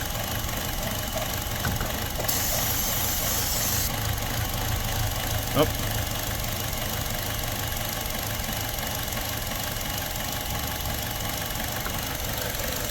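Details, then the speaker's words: 2017 Buick Encore with check engine light and surging, parts store blamed oxygen sensor: idle chugs and hunts under steady hiss during spray testing; vacuum leak confirmed, suspected at faulty valve cover. "all right so we know here how it's chugging again okay so it's not right there"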